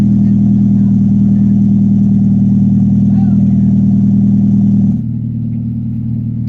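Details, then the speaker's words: 1996 Honda Prelude Si H23A1, first start after engine install, sat six to seven months on old fuel, very loud exhaust. Low uneven drone with a lumpy pulse about four times a second, then it dies; rough running, cause unconfirmed. "i can't believe it fired up it's got old spark oh that didn't sound good we killed it ah what it died"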